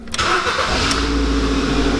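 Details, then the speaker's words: Ford Focus 1.4 16V, second generation, after repair of full-load misfire, coolant loss and wet ignition leads: starts cleanly, settles to steady even idle, then revved, with no stumble; no cylinder misfires. Normal idle. "So, läuft schon mal gut und dann geben wir noch mal Gas. Und ja, so muss ich das anhören. Keine Zylinderaussetzer."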